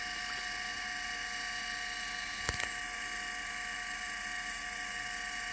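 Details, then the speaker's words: Litter Robot 3 drive motor after greasing dry first and second reduction gear shafts, run disconnected from the unit: steady even gear whine, no chatter; this gear noise is normal. "the noise that you hear the chatter or I shouldn't say the gear noise is normal for this particular gear"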